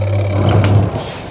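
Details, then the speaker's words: Sanken twin-tub washing machine: wash motor gives a low steady mains hum but won't spin up on its own, needing a hand push to start turning; dryer spins fine. "jadi harus kita bantu pakai tangan teman-teman ya perhatikan harus kita bantu pakai tangan baru mau muter dia"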